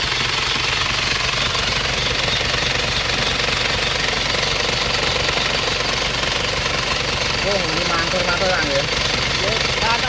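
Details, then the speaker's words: Isuzu Panther diesel with badly worn, loose timing gear and severe blow-by: harsh, loud, rough uneven clatter hammering about three times a second, from the worn, loose timing idler gear. "iming-iming gigi timing nya itu kocak sekali sehingga suaranya kasar sekali charger gitu terus ngobos motornya juga parah"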